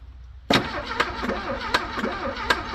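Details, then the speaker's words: Abandoned Porsche 924, engine said to be bad, fuel pump dead after 12 V test: cranks and coughs in short uneven bursts about every half second, never runs; final attempt fails. Diagnosis: needs new fuel pump and new engine. "current diagnosis is that order for the run it needs a new fuel pump and a new engine"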